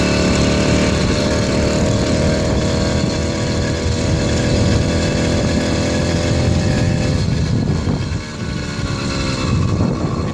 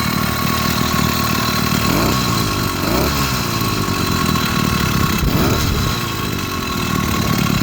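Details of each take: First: 80cc two-stroke motorized beach cruiser bicycle on a riding sound test buzzes hard under load, then stumbles and dips, never pulling into its power band; owner can't find the cause, later a replacement performance carburetor made it run well. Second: 80cc two-stroke motorized beach cruiser bicycle after fitting a performance carburetor replacing the stock one: putters along steadily with a couple of brief rev swells, no misses or rattles; runs clean and healthy.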